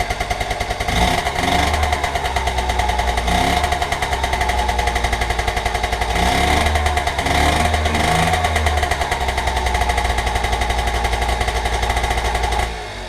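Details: Honda Express NC50 two-stroke moped, barn find under restoration, just after cold start on fresh premix fuel; buzzes steadily and picks up cleanly on each throttle blip, then drops back to an even idle. Running fine.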